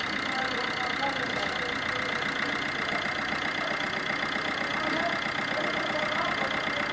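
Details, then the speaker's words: 2017 Fiat Egea 1.3 Multijet diesel after carbon cleaning of EGR, intake manifold and throttle, first start: rapid fairly even clatter about four taps a second at idle; knock attributed to faulty injectors, which also cause a smell. "ilk çalışmada bir takırtılı ses var bu sesin sebebi de enjektörlerde problem var"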